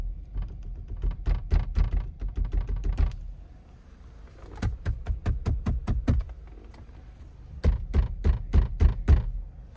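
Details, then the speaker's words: Car with a passenger-side rattle when driving on the highway: bursts of quick hollow knocks from banging on the front passenger door panel, compared with the driver side. "so I'm going to show you in a video that I was comparing the noises from the driver's front passenger door panel when I banged on it to the driver's side so take a listen here"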